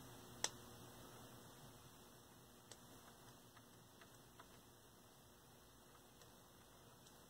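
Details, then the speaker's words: 1980s Sears model 564.40000150 5-inch portable colour TV with purity problems at screen edges, manual degauss button pressed: one sharp click then faint ticking; degauss engages normally. "i can hear it doing something makes a little click"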